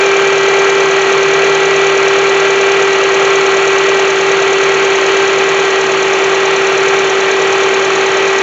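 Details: 2007 Honda CR-V at idle: steady fixed high-pitched whine over constant idle hiss; bad alternator undercharging, about 13.7 V, only 12.23 V with load; alternator to be replaced.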